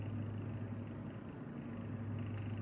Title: SilentiumPC Navis EVO 280 vibrating noise